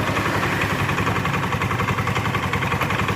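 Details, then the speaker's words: Automatic scooter at idle: a rough, uneven rattle at roughly four beats per second, present at idle; dry, worn rollers and pulley in the CVT. "mungkin sama kalian sudah pernah terjadi pada setiap tumbuhan di motor matic tidak jauh dari berbunyi blata seperti ini gitu"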